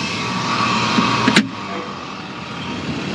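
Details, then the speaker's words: New Trane air conditioner condenser unit drawing only 1.5 A: steady ringing hum under the fan with one sharp clank; suspected internally broken compressor, unconfirmed. "oh yeah that sounds like a compressor's twisted off it just kept on ringing"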